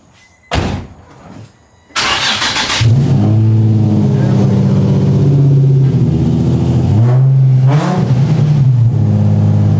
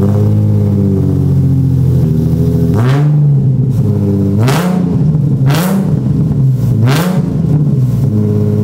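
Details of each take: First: Nissan 350Z (VQ35HR), catless, after fixing exhaust leaks at the test pipes and fitting a new ISR Y-pipe: it cranks, catches and settles to a smooth, even idle with a brief blip, with no leak ticking or truck-like exhaust note. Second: Catless Nissan 350z (VQ35HR) daily drifter that has been running poorly with a misfire but no check-engine light: loud, raspy low truck-like drone with revving blips, from exhaust leaks and a crack around the resonator on the test pipes.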